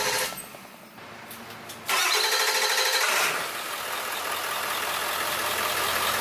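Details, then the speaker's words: Ford Powerstroke diesel starter, tuner pulled so the engine only spins over: brisk, even starter whirr for about two seconds. This is healthy, strong cranking. "I pulled out my dp-tuner so it won't start it'll just spin over so let's see how it sounds"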